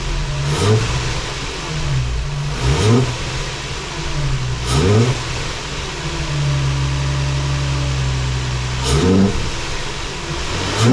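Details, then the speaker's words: Nissan 350z with custom 3D-printed ABS air intake: repeated uneven blips with loud intake roar, revs hesitant and rough; a vacuum leak somewhere is suspected. "all right so there's definitely a vacuum leak somewhere uh it did work right it was not super happy revving it but you could definitely hear the induction noise which is really cool kind of what I'm going for"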